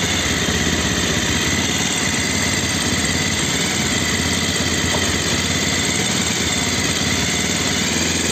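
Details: Bajaj Pulsar 220F after carburettor setting to fix missing at low rpm: steady, even idle with no stumbles or rev hunting; engine settles smoothly and runs clean.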